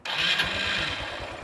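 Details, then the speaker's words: Hero Passion Xpro air-cooled single, key on, neutral, self-started after an engine oil, air filter and spark plug change; short starter whirr, then it starts first try and settles into a quick, even beat. "Yes നമ്മുടെ വാഹനം start ആയിരിക്കുകയാണ് ഒറ്റയടിക്ക് തന്നെ start ആയി"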